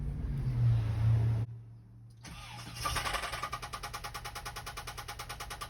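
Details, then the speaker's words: VW Vanagon Westfalia with stock 1.9 engine, believed blown, about to be swapped: rough start, then idle settles into a loose, heavy knock at about three per second; badly knocking engine, cause unconfirmed. "so you can hear it sounds extremely bad so let's go ahead and pull this motor out as fast as possible"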